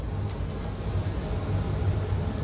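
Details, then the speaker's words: Furnace in a neighbor's basement labours with a heavy, steady low rumble and uneven throb, seeming to struggle and making a light flicker, then eventually shaking itself free; cause unclear. "I can hear it struggling a little. It's making that light flicker."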